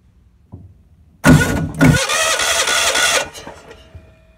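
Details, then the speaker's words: Lincoln Ranger 250 gas-driven welder with a weak starter: cranks steadily for about two seconds and never fires; crank no-start traced to a fuel feed problem, possibly a broken tank pickup, not simply out of gas. "so I don't think it was out of gas but I think there's a gas feed"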